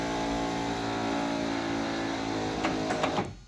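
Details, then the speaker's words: Ford Skyliner retractable hardtop deck lid screw lock motor: quiet steady hum with light clicks as screws turn; modified with relay on ground wire and new bearings to be quieter. "so you can see how quiet it is very quiet and then the screws will start turning there we go and then"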